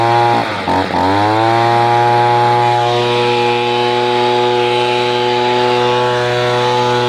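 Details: Echo PB-210e two-stroke leaf blower, 25+ years without maintenance, after spark plug connector and boot repair and cleaning: pulls over, catches and settles into a steady, high, buzzing drone without misfires; normal running.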